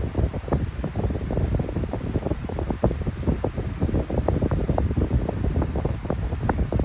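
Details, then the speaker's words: Unbranded 12-inch electric fan starting up and running, low hum with rapid irregular ticks and rattles from worn motor bearings that were oiled before but went bad again. "It does have somewhat of a startup sound. Kind of hard to hear it because the bearings are jacked up."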